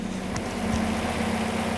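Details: Second-hand Mazda MX5 idling while warming up before an oil change: steady even idle with deep exhaust burble and a faint low hum throughout, no knocks or ticks; engine running healthy, normal idle.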